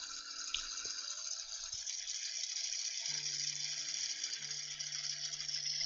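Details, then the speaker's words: FTX Outback RC car on a bench power supply, motor bearing freshly lubed, gearbox run: steady high-pitched electric motor whir with fine gear chatter; slightly noisy but normal gearbox running. "alright let's see what the gear box sounds like probably be a bit noisy so they turn the cart down juice she goes"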